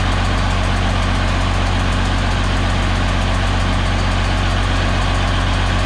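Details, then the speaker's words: DT360 diesel newly fitted with a P7100 injection pump, first running: steady but somewhat high idle with a faint rhythmic puff each firing cycle; air escaping because the number 5 injector didn't seat, compression leak at injector seat. "I'm feeling air back there, but I don't know where it's coming from necessarily. Like it's not. Unless that injector didn't seat properly."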